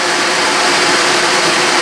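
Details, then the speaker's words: New FASCO Type 21B 712113156 pellet stove combustion blower, 2-pole shaded-pole motor with ball bearings, bench test: steady, even air rush, louder airflow than the old blower but quieter bearings, no rumble or rattle; normal running. "so I'm going to shut it off but all right that works fine it's the airflow noise is much louder than the one I have in the stove now but this is much quieter in terms of the bearings"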